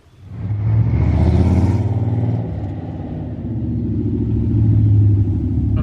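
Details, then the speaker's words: 1985 Corvette with 6-speed manual swap, after driveshaft balanced: pulling hard at 60–70 mph with even deep drone, previous 55–60 mph vibration gone; normal driving under acceleration. "so that definitely resolved the issue I was doing 60 70 and pulling hard and it's no vibration at all"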